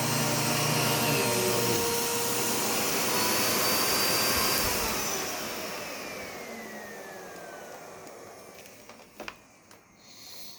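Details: U1 vacuum switched on with its separate power and brush roll switches: strong steady rushing whine with brush roll turning, then smooth even wind-down after switch-off; normal running.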